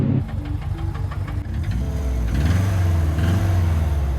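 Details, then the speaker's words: Holden Gemini with an old used gearbox, started in neutral: rough, uneven low rumble with irregular knocking, first thought a busted engine; gearbox appears failed, input shaft suspected destroyed. "happened oh so that noise at first I thought was a busted engine cuz Subaru life that's what sound like when they're broken"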